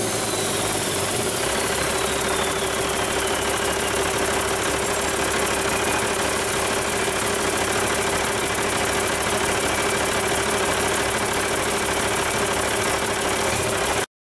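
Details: Rebuilt Cummins 8.3L diesel with inline pump, for a Hyster 15K forklift, on a repeat start after rebuild. It catches quickly and settles into a steady, even idle clatter with no misses or knocks; it sounds healthy.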